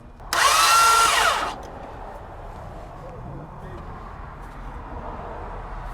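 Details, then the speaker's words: 2004 Toyota Sienna that won't start: about a second of harsh, high whirring whine with wavering pitch, then stops without the engine catching; failing starter, to be replaced. "all right all right his starters toast so we'll go ahead and get a starter ordered"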